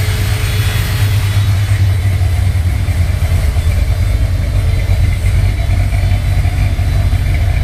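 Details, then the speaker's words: 1968 Corvette with a big-cam V8, engine running as a rolling chassis: a deep, lumpy burble with an uneven lope at about three pulses a second, a nice purr of the cam; healthy normal running. "And again, a nice purr of the cam. There she is."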